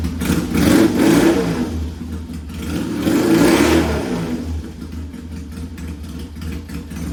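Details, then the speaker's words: Vintage Triumph T100 bobber twin with top end rebuilt on an earlier visit, sump vent re-modified, revved full bore. Pulls cleanly through two blips, settles to a steady even beat, no knocks or misses; intermittent smoke suspected internal: normal running and revving. "Okay, so you got to hear it full bore, and it sounds really good."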